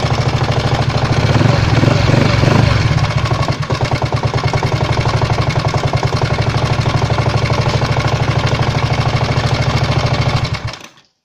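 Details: 139QMB scooter engine at idle: hard, regular knock about three times a second, steady until shutdown; the knock appeared suddenly while riding, and its cause is unknown.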